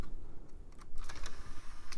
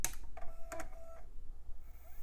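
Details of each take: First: iMac G4 CD drive tray after fitting a replacement belt of the correct diameter but slightly thinner: small plastic clicks and short whirs as the tray opens and closes. Normal tray operation. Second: iMac G4 optical drive, removed and disassembled, powered on the bench with a disc clamped (laser visible through the disc): it clicks, spins up with a rising whir and keeps reseeking without settling. It fails to read the disc; the drive is suspected to be no good.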